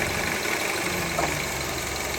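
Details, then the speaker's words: 2003 Honda CR-V (K24) petrol engine idling with AC on: harsh, busy metallic rattle from a failed AC compressor clutch, worn to nothing left to grab; clutch replaced. "so after further investigation we found out that the AC clutch was just gone"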